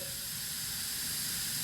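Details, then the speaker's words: 1000hp Supra build, radiator being pressure tested at about ten psi after repair: a constant sharp hiss from the tester coupling, which is not airtight like AN fittings. Soapy water shows no bubbles at the radiator welds, so the radiator holds. "whenever you guys do this better about right here you can hear it leaking a little bit it's coming right out of here and then over here as well so it's definitely not airtight like it would be with the a.n fittings"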